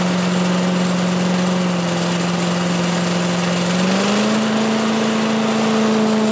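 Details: 1985 Billy Goat leaf blower, Briggs & Stratton 8 HP, after new spark plug, oil change, air filter and replacement gas tank: steady even drone lifting slightly in pitch around four seconds then holding smooth; normal running.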